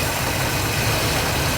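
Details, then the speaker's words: Fox-body Ford Mustang 5.0 V8 idling after starter and solenoid replacement, with a small fuel leak: lumpy uneven idle with stumbling low throb; owner thinks it's misfiring and plans new spark plugs. "So, you know, a little bit of work in progress. Like I said, it does look like it's misfiring."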